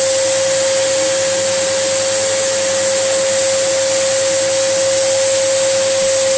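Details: Samsung SU3364 upright 1800 watt vacuum: loud steady roar with a sharp whistling tone on top; airway completely clogged, causing pressure to come out elsewhere as an apparent air leak.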